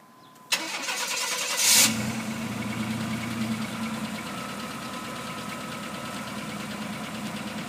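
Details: 1991 GMC Syclone, stock unmodified engine with over 103,000 miles, cranking then idling with a fast, regular, deep internal knock. Owner is unsure whether it is a connecting rod or a piston pin. Engine knock.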